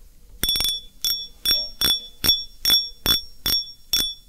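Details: Fishing reel clicker after repair, broken click spring replaced and glued in; spool turned by hand. Crisp, bright clicks in even bursts about twice a second; clicker works properly and sounds clean.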